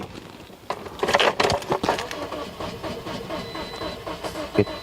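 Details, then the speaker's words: 2009 Toyota Matrix 1.8-litre, ECM already replaced, fuel and spark checked, no codes: starter cranks in uneven bursts with brief catches but never fires; cranks no start, timing chain suspected, not confirmed. "so let's start the car again so now it won't start"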